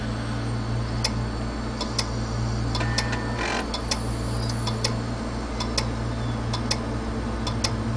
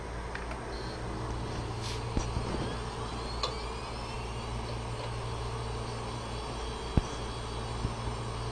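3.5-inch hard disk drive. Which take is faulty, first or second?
first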